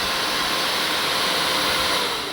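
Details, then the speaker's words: BMW G310 R radiator fan motor after repair (gunk cleaned out, brushes refitted), bench-tested on 12 volts over three runs. A smooth, steady high-pitched whir that eases off with no grinding; works, and the owner accepts the slight noise. "Okay. One test two still works. Test three still works. Fine. I guess this is going to work for a while for me. I'm okay with that noise."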